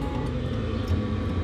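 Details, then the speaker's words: Chinese 5kW diesel air heater installed in a Vauxhall Vivaro camper van: steady, even low roar with no surging; pump mounted underneath the van gives a slight tick-tick-tick outside but is inaudible inside. Operating normally. "there's a bit of a tick tick tick but we've mounted the pump underneath the van so i can't hear it from inside at all"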